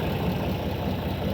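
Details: Tractor at idle during hay mowing: steady, even low diesel rumble with no knocks or misses; normal healthy diesel idle.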